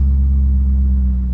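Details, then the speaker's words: C5 Corvette idling after a loose starter wire was finger-tightened, following click-only no-starts: deep, smooth, steady rumble with no misses right after start-up; started multiple times, sounding better than in past weeks; normal idle. "oh yes all right so it's running it started up multiple times no problems it actually sounds a lot better starting up now than it has the past few weeks"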